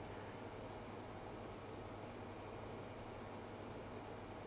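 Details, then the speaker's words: Box fan on a bench power supply after its bearing was oiled: soft, steady airflow hiss with only a faint low hum, no ticking, rattle or grinding; the earlier noise is gone, normal quiet fan running. "the sounds good actually I don't hear that noise anymore I don't even hit a fan"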